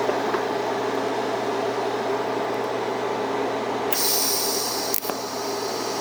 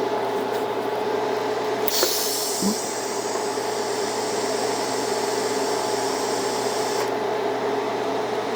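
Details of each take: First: TIG welding a lap joint on cold rolled steel coupons at about 100 amps, too little heat: steady even arc hiss with faint hum, no crackle; weld looks porous, filler rod stuck, current to be raised to 110–115 A. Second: Beginner's first TIG lap joint on cold rolled steel coupons, current raised from about 100 amps to 110: steady, even arc hiss with faint buzz, no popping or sputter. Bead looks better than the earlier low-current pass, though a little hot.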